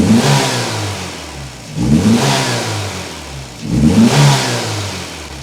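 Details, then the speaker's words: Mk2 Golf GTI: idle surges up and falls back about every two seconds with a lumpy, burping beat, idling too fast; owners report a misfire of unknown source, no power on road, suspect it drops to three cylinders. "I don't know where that's coming from, because it's idling too fast at the moment. And it sounds like it's, like if you start it from cold, it sounds like it's got cams on it. It's going burp, burp, burp, burp, burp."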